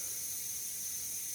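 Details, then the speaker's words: Pony SCUBA bottle being filled slowly via a budget transfill adaptor from a Deep Six first-stage regulator: steady, even high-pitched air hiss through small apertures, normal for a slow fill. "so you can hear that there is a little bit noise I'll just keep it nice and slow slow and low is the tempo as the Beastie Boys would say"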